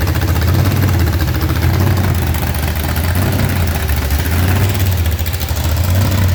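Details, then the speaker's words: Blower-supercharged V8 burnout car checked for damage after a burnout event, torque converter bolts being checked: deep, steady lumpy idle, no surging or hunting or blower surge; idle dialed in, maybe slightly high, idling cleanly. "That sounded really, really good. Man, his idle is just dialed in. Could probably turn it down just a skosh, but we don't have a whole lot of blower surge or none of that jazz."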